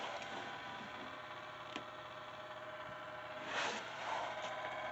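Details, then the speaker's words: Laptop running constantly loud: a steady airy whoosh with no change in pitch and a few faint clicks as the cooling fan runs hard; lifting the laptop does not help, and the cause is unknown. "someone can tell me why my computer is constantly running loud like the motors like it's loud and someone tell me if you guys can hear it"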